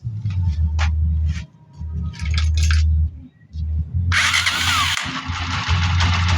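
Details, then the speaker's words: Small single-cylinder motorcycle at idle after pushrod replacement and valve adjustment at top dead center (owner heard ticking at 40 kilometers); settles to a low, even idle after a couple of dips, quiet valve train, no tapping. Normal idle. "So ayan o, okay na yung motor ni boss."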